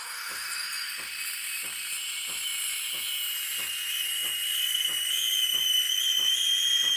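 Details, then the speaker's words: Espresso machine steam wand (CRM3605) in a small pitcher of water, nozzle fully submerged too deep: thin steady high-pitched squeal over the hiss with no chirping, meaning no air is drawn in, so no foam. "게하는 요상한 소리만 나죠이는 거품이 하나도 없는 소리입니다"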